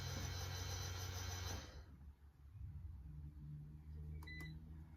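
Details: Mini Cooper S R53 brake bleed run by an iCarsoft CR Pro, assistant pumping the pedal: even electric ABS pump buzz for under two seconds, stopping cleanly, then quiet beeps; the unit cycles normally and the pedal is now solid.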